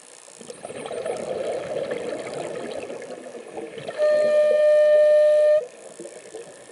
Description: My Mares Proton ICE making a funny "horn" sound while I breath between 700-800 psi while diving recently, admiring this strange looking jelly fish.